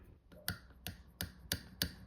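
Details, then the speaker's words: Throttle plate stop screw left loose: sharp separate clicks, about six in two seconds, as the throttle stopper snaps against the loosened stop screw; tightening it until the stopper rests on the screw removes the sound. "This can also be differentiated based on the sound it produces when the stopper hits the screw."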